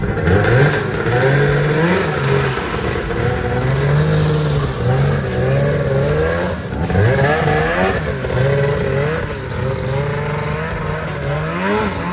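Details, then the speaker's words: ZL550 two-stroke snowmobile after a no-start fix. Crisp repeated revs with clean pickup, no bogging or misfire, running better than ever before. Normal revving. "yeah it does pull them right up holy cow it's never run like that"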